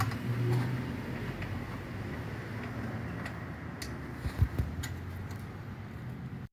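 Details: 2015 Renault Logan alternator after repair, refitted and charging: quiet, steady low idle hum with no whine, growl or grinding from the front of the engine. The alternator had a noisy bearing and wasn't charging; now it runs smooth.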